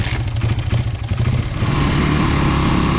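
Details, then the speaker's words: 1995 Honda XR80R 80cc single after replacing an undersized main jet with the correct Honda jet: blips unevenly then settles steady with no stumble; bog fixed, normal running. "That's a night and day difference. That's running just the way it's supposed to. Running exactly like the other bike."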